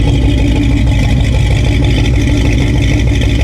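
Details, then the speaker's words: Ford 302 V8 after new head gaskets, still needing tuning: a loud, deep idle burble with a slightly uneven, lumpy beat over heavy exhaust rumble. Rough idle. "So, I'll be honest. I still got some tuning to do, but we'll give this a shot."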